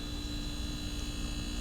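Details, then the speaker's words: Frigidaire side-by-side refrigerator not cooling, compressor had hum-click from suspected start relay; run direct with a cheater cord: steady even low hum with constant tone, compressor and fan running normally, so compressor is good. "it's on there it's running repressor runs the fans running at this point I know we got a good compressor now"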